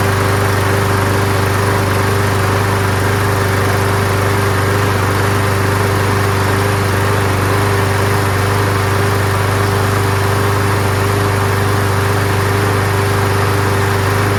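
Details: Toro Super Recycler mower with Quantum single-cylinder engine and aluminum deck, started after priming: steady even drone with constant pitch and no misses or knocks; running normally.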